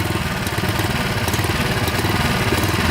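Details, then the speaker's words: Restored saw engine restarted and held at low rpm with the blade stopped and the clutch working: low, lumpy putter of about two uneven beats per second. It keeps running but runs a little rough at low rpm. "Well, she starts at low RPM. Yeah, yeah. See the blade stop? So good. The clutch is working. She's a little bit rough, but"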